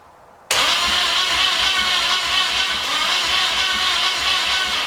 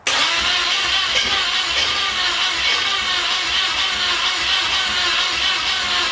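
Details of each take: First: 1981 Pontiac LeMans sitting for years, after starter shims, adjustments and alignment, plug wires off: steady, even cranking whir, no grinding or stalling; starter spins the engine healthily. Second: 1981 Pontiac LeMans sitting for years, plug wires on, premix fuel poured in carb: steady even cranking that never catches; cranks but won't start, owner thinks it needs more fuel.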